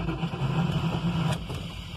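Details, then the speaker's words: 1995 Jeep Grand Cherokee 5.2 with cut, crushed, shorting wiring after relay/fuse box swap and replaced starter; rhythmic low cranking chugs with uneven firing attempts that never catch: hard start; it wets plugs and needs full harness replacement. "vamos a intentar dar marcha y vamos a escuchar si hal o no ahí vamos a cerrar el switch ahí vamos ok y vamos a dejarla"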